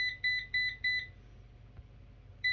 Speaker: we've got my robotic hoover a ufe 11c which has an error that when it's fully charged on its dock it will beep four times and throw a red light there you go